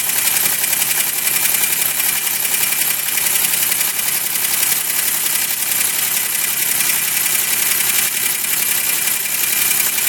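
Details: 2005 Chevy Equinox after head gasket replacement and rebuilt heads, one cracked head welded and machined: steady idle with regular light tapping knock; later cured by an engine tune-up additive.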